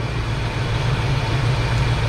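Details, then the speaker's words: Foxbody Mustang after a base idle reset, throttle body screw adjusted and TPS set to 0.97–0.98 V: a smooth, steady, healthy idle with no misses or hunting. Idle rises when the unplugged connector is plugged back in. "That's fine, but I'll tell you what, just for the sake of this video, we'll go ahead and bump it up a little bit. And there you go, guys, 0.97, 0.98. Car's idling great."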